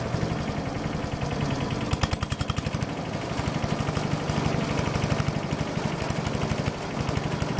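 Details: Troy-Bilt chipper shredder model 24A-414B711 small single-cylinder engine, test run after new carburetor fuel line fitting, oil change, new tires and oiled recoil: pops along at idle with fairly even firing rhythm, no knocks or grinding; normal idle.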